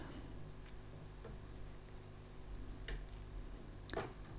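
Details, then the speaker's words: Bang & Olufsen CD50 after drive belt replacement: soft hum, light ticks, then crisp click as the tray pulls the disc in and raises it, ready to play; normal loading. "that now loads the cd raises up and it's now sat there ready to play"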